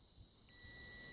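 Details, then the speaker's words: Mopar E-body (1970–74 Chrysler) ignition switch on the bench, tested with a beeping ohmmeter through the off, run and accessory positions: a clean, steady high beep with no dropouts; the circuit is good. "Hear the noise? Off. That's accessory, key back. That's off. So that's good. That circuit's right."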